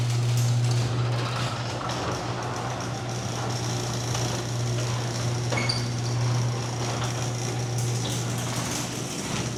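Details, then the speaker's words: Garage door opener run before lubrication, microphone clipped to the emergency release string; loud droning with rough rattling and clattering, not smooth or quiet, from dry hinges and rollers needing lubrication and maintenance. "So, as far as I'm concerned, that was not the smoothest operation, nor the quietest."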